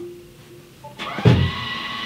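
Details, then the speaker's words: Tesla with its rear electric parking brake (screw and small motor on each rear caliper), car lifted and put into tow mode: short whir, soft clunk, then a hum as both rear calipers release normally and the car is freewheeling. "Voilà, avec le bruit là. Véhicule en roue libre, on a entendu les étriers de frein se libérer."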